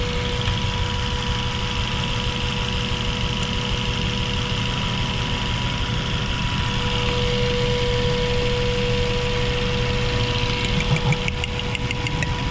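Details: Mazda 3 petrol engine idling with an uneven, lumpy beat, a misfire persisting despite new spark plugs, fuel filter and fuel pump; ignition coils are tested and found leaking spark.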